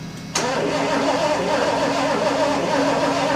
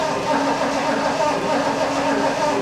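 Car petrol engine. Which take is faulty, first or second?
first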